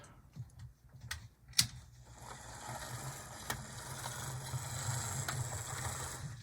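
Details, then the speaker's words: HO model locomotive with cracked axle gears, run at low speed: its motor hums with sharp, irregular clicks, and the truck is seen jumping. Fix is replacing the gears with Athearn 60024 gears. "And it may not be too apparent on this, but I can definitely hear a clicking, and I can also see the truck jumping."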